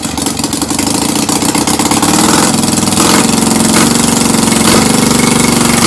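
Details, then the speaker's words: Citroën 2CV flat-twin, unknown spare engine swapped in after years stored, compression 180: catches and runs lumpy and uneven, pitch wandering before settling, smoky, oil cold; rough running after long storage. "kind of sounds like it's clearing its throat, but blimey, it's a bit smoky in here."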